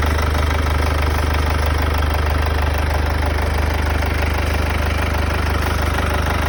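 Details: Mercedes W205 C220 CDI, OM651 diesel, cold start idle: a steady, fast knock of roughly three per second over the low rumble, a strange noise from the front; cause unclear.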